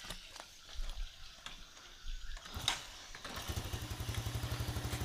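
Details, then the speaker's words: Yamaha Jupiter Z1 after repair of error code 46 (dim lights, battery 12.48 V) fires up and settles into a steady idle at about four beats a second. It previously wouldn't hold idle. "ini udah hidup motor ah langsam sudah enak Tadinya enggak mau langsam kok"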